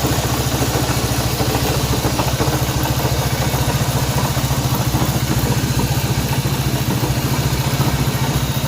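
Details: Honda CB190R motorcycle engine noise at idle: steady single-cylinder idle with a busy metallic clatter riding on every beat at an even rate; some abnormal noise inside the engine.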